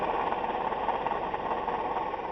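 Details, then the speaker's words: Toyota Highlander 2GR-FE V6 idling: steady rough whirring rumble over the engine pulse, gone with the belt removed, so the water pump or an idler; one idler already replaced without help, and replacing the water pump stopped the noise. "Вчера ремень скидывал, шум пропадал. Значит, шумит или помпа, или ролик."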